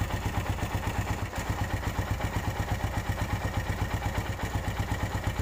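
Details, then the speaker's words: 2013 Suzuki Satria FU 150, about seven years of use, odometer reading around 1783: steady single-cylinder idle with a light, even tek-tek tick about three times a second, the typical Satria valve noise; the engine is not noisy and is in good shape. "menurut saya motor ini cukup lumayan bagus ya dari segi mesin masih Hai suaranya nggak berisik"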